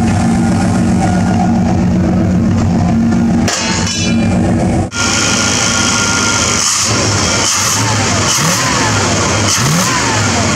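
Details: 1995 Silverado Z71 1500 with transplanted 327 V8, after tightening both gas lines: steady note with a couple of clean throttle blips, no stumble or miss, returning to even run; healthy.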